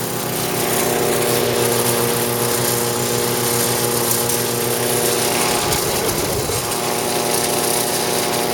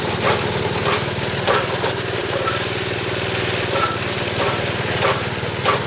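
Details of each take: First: Snowblower small four-stroke engine on 85-octane gas, after auger repair with new drive belt: steady even note, no slipping or flapping; drive runs smooth, improved over the old chattering belt. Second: Snowblower small engine running after shaft reinstalled, belt refitted and bent parts bent back: uneven scraping rub about every second underneath; something still sounds bent, may need bending back or a new part.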